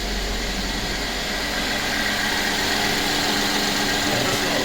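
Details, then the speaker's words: Mercedes E350 M276 V6 just restarted after new spark plugs and ignition coils: steady, even idle with a fine patter, no misfire or smoke, slight odd smell; running properly. "it sounds perfectly fine any smoke no smoke oh yeah that let me smell it smells a little funny that's okay it's running it's running properly running properly"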